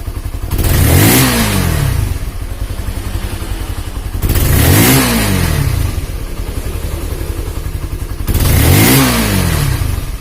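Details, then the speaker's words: Honda CB150R after an engine rebuild for a leaking head compression that blew out radiator coolant. A steady, even idle with three quick rev blips that rise and fall cleanly, no rattle or misfire; the engine sounds healthy and smooth. "Alhamdulillah sudah halus untuk suara mesin memang motor ini itu banyak sekali kendalanya"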